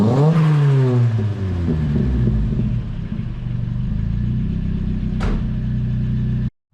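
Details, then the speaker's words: Nissan 240 street car warming up after its first startup on a newly fitted exhaust, given a couple of light revs: a smooth, low, even idle with a soft exhaust note. It is much quieter than before, and the exhaust sounds healthy. "Yeah, it's a lot more quieter, which is really good"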